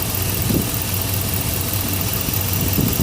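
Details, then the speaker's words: Engine at a deep, steady idle after the misfire was fixed by replacing faulty spark plug wires; even low rumble with no missed beats, firing cleanly on all cylinders. "yeah it's not even misfiring it sounds great"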